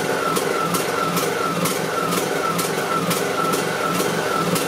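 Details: Briggs and Stratton 18.5 hp Intek lawn mower engine surging at idle, pitch wavering up and down about twice a second; fix is cleaning the clogged pilot jet in the carburetor.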